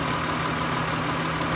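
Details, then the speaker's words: 2003 Acura TL Type S 3.2L with P0301, P0302, P0304, P0300 codes, cylinder drop test at idle; steady lumpy idle unchanged when cylinder one connector is unplugged, no rpm drop, so cylinder one is dead, coil or injector suspected. "there's no RP n drop there's no little hump on the graph I'm gonna show you guys if the connector is disconnected from the cliff at number one which is right here so it seems that number one is the one that's actually being affected by either a four fact that's faulty or"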